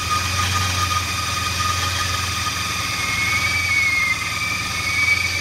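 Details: Rare 1996 Mustang GT revived after long storage, first running only on sprayed starting fluid: steady but uneven idle with a thin wandering belt squeal; rough running after storage, later smoothing on gasoline with exhaust smoke.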